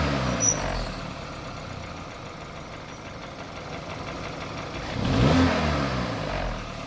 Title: VW GOLF MK 5 1.6 FSI LIFTER NOISE SLIGHT TOP END RATTLE